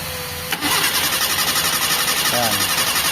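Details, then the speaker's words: Mitsubishi Lancer 4G13 carbureted, fuel hose pulled off the carb into a glass while cranking: steady starter churn about four pulses a second, engine never catches; fuel only trickles out, not continuously, hard starting from a weak fuel pump. "So hindi siya continuous mga bossing."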